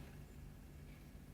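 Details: Engine after an on-site alternator replacement (old alternator failed, battery flat), running with alternator output measured 14.2–14.3 V, then 13.6–13.7 V charging the battery: steady low rumble, no squeal, whine or knock; normal idle.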